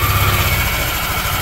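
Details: Yamaha Aerox scooter after replacing the camshaft bearing: the earlier rough noise is gone and it idles steadily and evenly with no knocks or rattles. The light airy rush is because the cover is not yet fitted.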